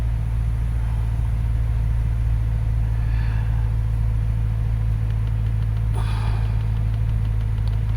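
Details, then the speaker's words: 2013 Subaru Forester SJ, FB16 naturally aspirated engine after crank-no-start diagnosis: steady smooth idle with no misses or knocks, tach steady; excess fuel in cylinders expected to clear, warming up. "that'll clear out and this thing should run properly it's nice and smooth look at the tack smooth as glass"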